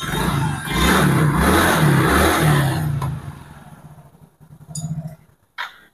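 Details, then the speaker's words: Yamaha Mio J/GT that ran but would not move, CVT reassembled and shimmed with a can; scooter revs up and settles smoothly with an even drive whir, no slipping, rattling or grinding; CVT sounds healthy. "suara CVT nya itu halus sekali Bro karena sudah kita ganjal pakai kaleng sekali kita geber lagi ya"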